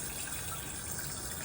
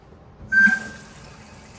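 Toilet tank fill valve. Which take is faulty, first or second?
first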